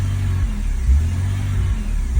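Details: 2001 BMW E46 330Ci, MAF unplugged; it won't pass 3k rpm, has little power and red-hot cats. Low engine note swells and sags every 1.5 seconds or so with no throttle once warm; a surging, hunting idle with the cause unknown.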